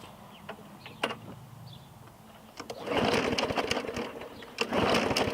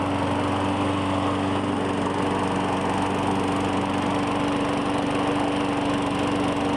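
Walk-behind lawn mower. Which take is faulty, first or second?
first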